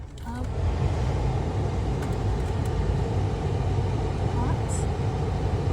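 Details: Jeep Compass after replacing the HVAC blend door actuator (old one had cracked gear, missing teeth) that caused dash knocking: steady blower air rush over low engine hum with no knocking or clicking behind the dash; blend door working normally.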